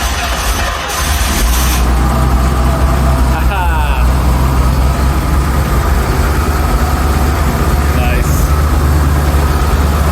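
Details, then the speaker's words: 1974 Rolls-Royce Silver Shadow with carburetors and points ignition, started after a non-start with the fuel supply suspected, with fuel pouring out: a deep, steady, even rumble with no misses or knocks. Normal idle. "the engine runs and it actually sounds really smooth I mean relatively speaking for an old engine it does sound very smooth"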